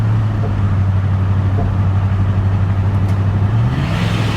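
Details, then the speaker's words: 1991 Ford F-150 XL 4x4, over 4,000 lb, driving in drive after revival, possible moisture suspected: steady low drone under load that falters and changes note; stumble under load; transmission fluid unchecked and wasn't shifting, cause unclear. "What was that? Uh-oh. This ain't good. She's stumbling."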